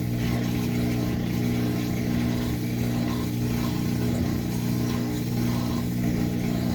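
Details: Washing machine after clearing a safety pin jammed in the drain pump that stopped it after draining: steady low hum with even rhythmic drum throb during spin, strong enough to shake the camera, no grinding or rattle; normal spin.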